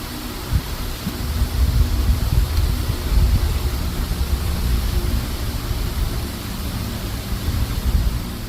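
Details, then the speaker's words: John Deere L110 automatic riding mower after carburetor replacement, on a jumper pack: low, labouring crank with no firing catch, starter dragging the engine sluggishly; slow cranking, no start. "Okay, so the jumper pack is very hard to It's hard to turn the motor."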